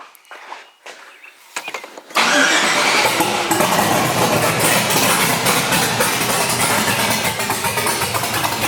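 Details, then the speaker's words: LS-swapped Chevrolet S10, professional tune, fuel pressure 57–60 psi, exhaust and O2 sensors not yet fitted: V8 catches and settles into loud, uneven, lumpy idle; starts and idles but won't rev, barely moves; cause unclear. Rough running at start-up. "It'll start up, it'll idle, but it doesn't want to rev up."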